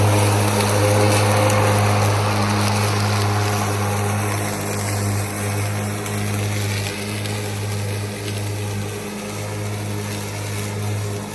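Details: Ryobi ZR3 80V 42-inch zero-turn with brushless deck, mowing at 4.5-inch cut height in low speed with eco mode off: a smooth, even hum of the blade motors with a steady low drone and no knocks or rubbing.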